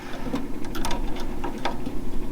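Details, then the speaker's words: Electric fuel pump on a 1968 VW Beetle that had sat, fuel filter looking empty: slow, uneven light clicking, quieter and lazier than it should be, gurgling, no fuel seen; weak pump or low tank fuel suspected. "the pump should be making a lot more racket than that"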